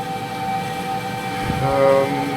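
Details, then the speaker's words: Wall-mounted gas boiler heating hot water through an indirect cylinder at maximum power: a steady high burner whistle once gas valve outlet pressure is raised to about 1.32–1.34 kPa. Lowering the gas valve setting removes it; this should be done by specialists. "на деметре килопаскаля и вот возникает свист"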